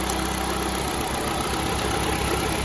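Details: GM LSJ engine idling with one coil unplugged for testing: uneven, stumbling low pulse of a single-cylinder misfire; an intermittent chirp, suspected exhaust gasket leak at a stud, went away during the test.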